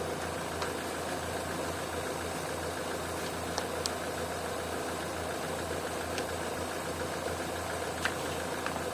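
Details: Opel/Vauxhall petrol engine with a high idle fault (2000–3000 rpm), idling around 800 rpm: a steady, even idle with no hiss or speed change while water is sprayed on the intake joints; no vacuum leak, throttle body suspected next.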